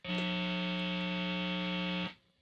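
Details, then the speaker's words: Jazzmaster single-coil pickup: steady buzzy 60-cycle mains hum that stops abruptly after about two seconds. Single-coil 60 Hz hum, noisiest with neck or bridge pickup alone. "our familiar friend 60 cycle hum Now 60 cycle hum basically happens on all true single coil pickups"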